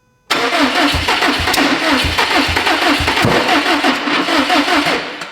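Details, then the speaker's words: Freshly built Subaru STI engine, first start attempt with throttle held down: about five seconds of cranking with ragged firing, loud bang and pops, never catching; passenger-side coil plugs for cylinders 1 and 3 were swapped, mistiming it. "Also, it wasn't starting earlier because, and you hear that loud bang, it sounded like it was mistimed. The passenger side ignition coil wiring is flip-flopped. So I had cylinder 1 and 3 flopped."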